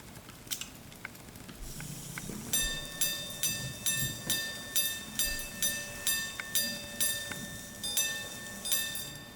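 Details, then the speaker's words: 1800s Swiss silver clock watch by Bordier, Geneva, quarter repeater on pendant button, two steel wire gongs, cylinder escapement; repeater before 11:45 sounds 11 hours then 2 quarters, bright clear even strikes, complete, working properly. "here I'll demonstrate the repeater function it should chime out 11 hours and 2 elapsed quarter hours since it hasn't quite gotten to 11:45 as yet"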